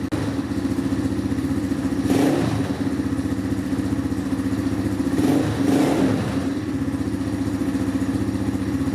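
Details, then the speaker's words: Apollo DB36 Deluxe single after replacing cracked intake manifold, cold day, started on full choke: running steady with two clean throttle blips rising and falling smoothly, revving like normal. Normal running. "So I had to use my choke to get it started. But as you can see, it sounds good. It's now revving like normal."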